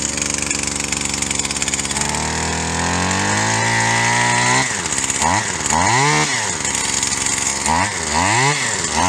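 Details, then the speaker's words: Stihl HL 75K two-stroke hedge trimmer found in trash, after fitting a new carburetor: buzzy engine settles from a blip to a high, busy idle between throttle bursts; idle set too fast, needs carburetor adjuster screw tuning. "so it's idling a little fast it's gonna need a couple of carbage us ones back here with these adjuster screws"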